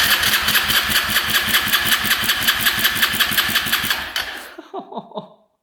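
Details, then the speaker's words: 2011 Polaris Phoenix 200cc ATV compression test, throttle open, key on: strong even cranking pulses about three a second for four seconds; gauge reads about 193 PSI, well over the 100 needed, so compression is good. "that's insane compression for a 200cc it's like 193 that's amazing so this thing should fire right up"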